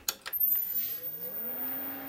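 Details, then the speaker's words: Robotron A5120 computer with its repaired K7222 monitor switched on: a couple of clicks, then a thin, very high steady flyback whine with a low tone rising and settling. Flyback runs normally, but the screen is blank; the owner suspects a pot he had turned. "yeah I he nice uh fly back noce I don't see anything on the screen is probably because I turn to pot before I broke it"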